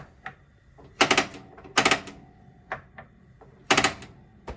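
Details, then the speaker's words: 2021 Wildwood 353FLFB travel trailer stove top being lit by knob and igniter: crisp, dry clicks in quick bursts of three or four, a second or two apart, in a quiet room; igniter sparking normally. "To light your stove top, turn your knob to there, and then turn the igniter."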